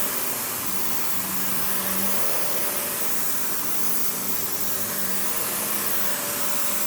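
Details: Panasonic upright, one of the last sold in the US, base plate refitted, bare-floor switch, auto height adjustment, brush roll auto-stops when upright: steady even airy roar, no rattles, ticking or brush-roll grinding; runs normally.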